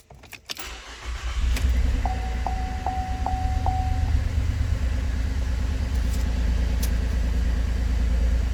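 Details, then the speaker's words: 2012 Holden Commodore VE V6, check engine light with P0300 misfire and a cylinder 2 coil circuit malfunction: cranks and catches into an uneven idle with a cylinder dropping out. Coil pack suspected; later found an oil-fouled plug. "engine light එක on වෙලා තියෙන්නේ engine misfire detected coil cylinder 2 circuit malfunction"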